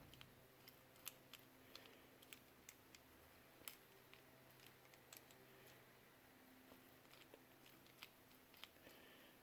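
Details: Zebco RL3 micro spincast reel, after service and greasing, anti-reverse checked: soft irregular clicks and a light gear whir as the handle turns, with no grinding or catching; runs smoothly.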